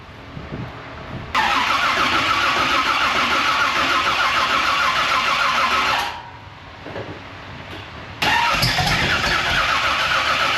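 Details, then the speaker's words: Race car with bigger cam, new ignition system and crank trigger, after torque converter swap: long laboured slow cranking before catching, a struggle start; owner suspects not enough fuel pumped in. "She struggled. She fought against it to get it even fire lick, but it did start. So we're moving in the right direction at least. It was a struggle start."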